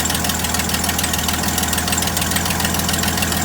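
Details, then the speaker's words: 1972 GMC tow truck parked since 2003, first run after sitting 22 years, possibly no thermostat, no blow-by: even idle with a steady pulse, no stumbles or misses; healthy engine, though a small exhaust leak is suspected. "Boy, that sounds beautiful. That's a sweet little motor."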